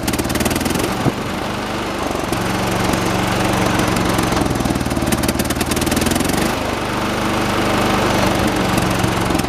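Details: 1986 John Deere 216 16 hp single-cylinder tractor while carburetor is tweaked outside: uneven, hunting thump with shaky pulses, not yet settled; rough running, owner believes carb is adjustable; shaking said normal for these engines.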